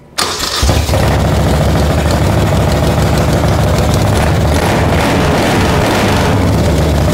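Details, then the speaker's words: 1975 Moto Guzzi 850T abandoned over 10 years starts after a carburetor clean, fresh fuel with two-stroke oil and a jumper wire: starter catches quickly and settles into a smooth, steady idle; oil not yet checked, run briefly. "we don't want to run it too long so I haven't checked the oil or anything but it's alive"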